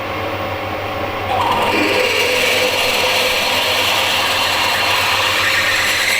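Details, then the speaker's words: Drill cutting a face mill adaptor to tap 12 x 1.75 mm: a harsh, screechy cutting noise rises as the bit bites in, then smooths out once it is through a hard spot, with a lot of heat. "it was just that bit that's hard after that it's okay"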